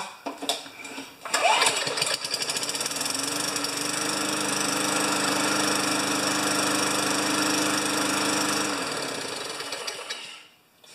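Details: 29-year-old Rally electric-start mower, battery charged two days, oil change and blade sharpening still due: starter cranks briefly, engine catches and settles into a steady, even small-engine run before shutting off; healthy start.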